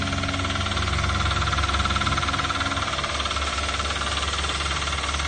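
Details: 2012 Toyota Avanza/Daihatsu Xenia, 1.5 L 3SZ-VE I4, at idle: a regular knock about three per second. It persists with the serpentine/fan belt removed, so it comes from inside the engine; cause not pinned down.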